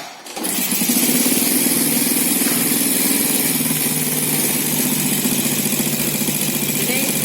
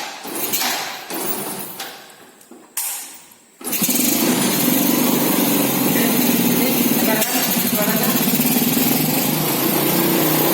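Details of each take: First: Four-stroke motorcycle engine at idle before valve clearance adjustment. Light, quick metallic ticking keeps pace with the engine, from excessive tappet clearance. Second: Four-stroke motorcycle after valve clearance adjusted to factory spec and spark plug cap refitted: clicks, then engine fires and holds steady even idle with no top-end ticking; normal idle after repair.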